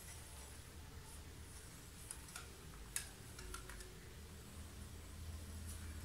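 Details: Italika motorcycle front wheel turning quietly after the front wheel noise fix, which involved tight Allen screws: only a low rumble and a few light clicks, no squeal, and it brakes well.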